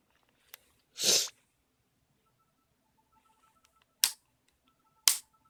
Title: Nintendo 3DS XL: Clicking Noise = Spinning Icon